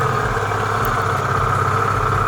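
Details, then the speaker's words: Restored Piaggio Vespa 50 LX two-stroke scooter, first cold start after carburetor setup, no throttle: starts easily and settles into a steady, even buzzing idle with no misses or knocks while warming up; normal warm-up idle. "Хорошо завелся, без газа, без ничего. Сейчас прогреется и буду дальше собирать, потому что проводку тут разбирал и так далее."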